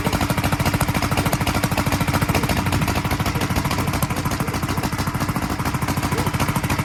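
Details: 1943 Gravely Model L single-cylinder on its first start after a magneto swap to a rebuilt Wico, running a borrowed carburetor set for a 1955 L: uneven chuffing at about 200 beats a minute with ragged pops out the carburetor and exhaust; owner expects lapping the valves and checking the valve lash to help.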